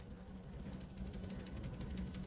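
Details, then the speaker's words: Cheap chrome-plated plastic tuning machine on a 370/12 twelve-string guitar: quick, light clicking ticks as it is turned, because the screw holding the post to the gear has worked loose and the gear rattles inside. "and you could hear the gear just rattling around Loosely in there the screw that secures the actual post to the Gear has just worked itself loose and is now rattling around inside"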